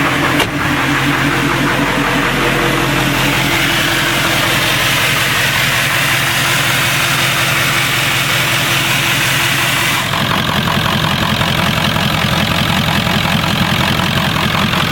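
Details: 1996 Ford F350 7.3 L Powerstroke diesel after conversion to an electronic fuel system with a frame-mounted pump, first test start: brief cranking, then it fires into a steady, even idle clatter with no misses, turbo audible, no leaks.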